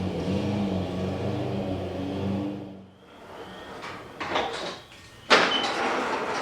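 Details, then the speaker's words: Exmark EC21KA mower with a Kawasaki FJ180, started after a new primer bulb and reassembly: runs steadily, then sags and dies within three seconds once it warms up; fuel starvation stalling. "so okay so we have a little bit of a deeper issue than i anticipated it's just getting starved something's happening with the fuel at some point"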